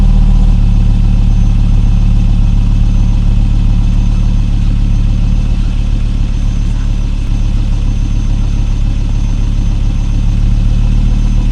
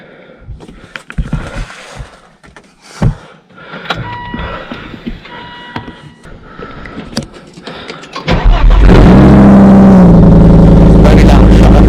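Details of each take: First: 2002 Volvo V70 2.4 after replacing centre and rear exhaust boxes and pipe; steady deep idle with even low rumble, no ticking, rattling or blowing from the exhaust; sealed, normal idle. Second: Volvo V70 2.4 with rear box and mufflers removed, only cat remaining, brief run: deep, booming, very loud unsilenced exhaust drone, shut off quickly to protect the cat.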